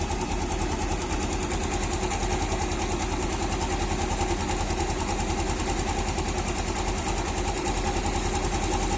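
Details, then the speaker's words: Yamaha engine idling, mic held near engine, after replacing failed bearing and fitting a cheap aftermarket (KW) manual cam chain tensioner: steady even idle, soft regular pulses, no cam chain rattle or slap; still smooth since replacement. "nah suara mesinnya itu sangat-sangat halus ya karena Emang faktornya itu kemarin saya sudah ganti lahar noon asnya dan saya pakai Tensioner manual ini KW supermula hanya rp.000 ya"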